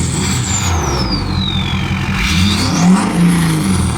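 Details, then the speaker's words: Ford 6.7L Powerstroke diesel with new 64mm Stage 2 turbo and AMDP tune, free-revving: quick clean throttle blips, turbo whistle rising and falling, no misfire or stumble; healthy diesel rev. "All right, let's hit it up to 4,000. Let's try to hit the limit on this one."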